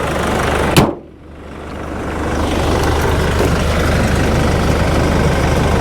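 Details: Cheap Nissan Navara pickup diesel bought for £1,500, idling on a hot 26–27°C day: after a brief clunk, a steady, even clatter with no miss or knock; engine sounds quite sweet, a normal idle.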